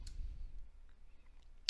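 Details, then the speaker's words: DIY robot built from salvaged parts: an IR remote command drives a transistor that switches relays acting as a relay-based H-bridge for the wiper-motor drive. Two sharp, clean clicks about 1.5 s apart; the relays are switching normally. "this transistor is driving these really I think you may hear the really clicking right now"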